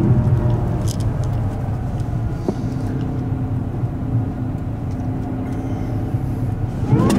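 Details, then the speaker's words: Supercharged LS V8 car, previously stock and supercharger inaudible, now with an upgraded supercharger pulley, under acceleration: deep V8 rumble with a faint whine climbing in pitch as revs rise; normal supercharger whine. "I just wanted to sound more whiny coz when I got the LS like it's got Alesana but its stock you can't even hear the supercharger so hopefully now with the pulley upgrade and stuff you can hear it want a bit more"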